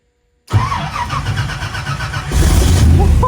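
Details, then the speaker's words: AK 427 Cobra replica, first start of new engine in neutral, fuel pump heard priming: catches immediately after brief crank, then strong steady lumpy idle with a blip; starts and runs fine. "Well, relieved is an understatement. Always a right result of the getting an engine start."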